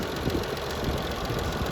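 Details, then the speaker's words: 1995.5 Isuzu Rodeo 3.2L V6, manual, 4WD, just over 241,000 miles, at idle: quick, light, regular tapping that follows engine speed, from the timing belt tensioner rather than the lifters, which are only faintly audible; the timing belt itself is in good shape. "that tapping sound you hear is a timing tensioner that is not lifter i mean you can hear lifters a little bit but nothing like it was but that tapping you hear is timing tensioner"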